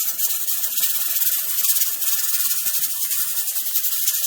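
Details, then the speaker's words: Pressure canner processing tomatoes on a gas stove, weighted gauge at pressure: steady steam hiss with quick irregular rattle of the weight rocking, its normal jiggly dance; over pressure is fine, dropping under pressure is not. "op stop rocking so the rocking action is exactly what it's doing at the moment i call it it's little jiggly dance"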